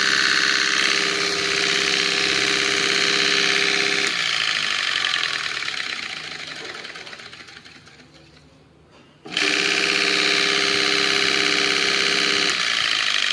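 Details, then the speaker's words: Stone flour mill (chakki) motor after bearing replacement and service: even steady hum with fine rhythmic patter, winds down, restarts and settles smoothly; drawing 2.7–2.8 A, running healthy. "ये देखिए 2.7 एम्पियर, 2.8 एम्पियर। एकदम परफेक्ट है।"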